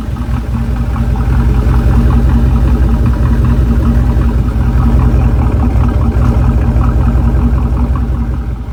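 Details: Idling engine with a deep steady rumble and a light, quick lifter tick on top, found after an engine-shop job; the car must go back to the shop for adjustment.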